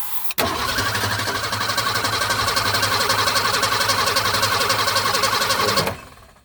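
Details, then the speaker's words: 1965 Ford Falcon (year uncertain) garage queen, after adding gas: steady starter cranking about four compression pulses a second for five seconds, never firing; cranks but won't start, possibly bad fuel delivery or off timing, unconfirmed. "if you guys heard anything that sounded like bad fuel delivery off timing or anything like that please let us know"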